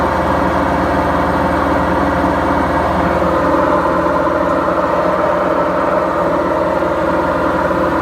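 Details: BEKO washing machine, 7 years 8 months old, during spin: deep, steady rumbling drone with slow throb, attributed to worn drum bearings.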